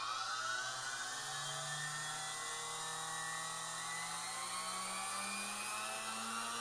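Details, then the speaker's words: Hoover vacuum cleaner universal motor on an electric drag-race stand: a high whine climbs as the motor races and runs away at the end until every commutator bar flies out; the rev counter registered only about 35,000, likely losing contact. "whoa it just all the comm bars every single one of them just came out of there holy crap now did you hear that thing race and take off there right at the end"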